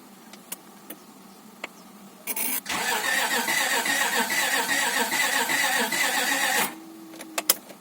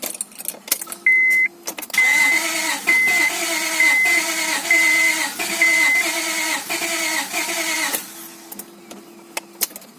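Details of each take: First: Honda Accord 2.3L (V6 mentioned), first crank after reinstalling the engine following rear main seal replacement, fuel pump fuse disconnected: even, steady starter cranking for about four seconds; compression sounds alright. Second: Honda Accord V6, first start after the engine was reinstalled following rear main seal and oil seal replacement. The starter churns steadily about once a second for six seconds and never catches. Owner suspects a weak battery or insufficient fuel pressure. Cranks but will not start; it started on a later try.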